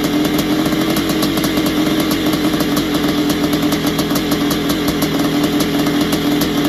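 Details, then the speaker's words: Barn-find 1981 Suzuki RM465 two-stroke, first start after fuel down plug, heavy smoke: rough uneven running with quick metallic rattle over exhaust; owner suspects worn top end, possibly blown main seals, unconfirmed. "so no it sounds like it needs a top end or something sounds a bit rattly and it could even have a blown sure by the amount of smoke that was going out the back"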